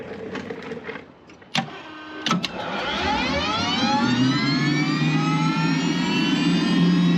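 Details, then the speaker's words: Aircraft turbine engine (number two) start after leak fixes: clicks and pops, then a clean rising whine spooling smoothly to a steady idle roar; normal start. "So, very sorry about that guys. But, get to hear this thing come to life."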